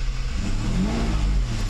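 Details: Mercedes 600SL with its E-gas throttle control module under test before a throttle body rebuild. Smooth low idle, then a short clean rev up and down without stumbling; the throttles work and the E-gas checked out OK.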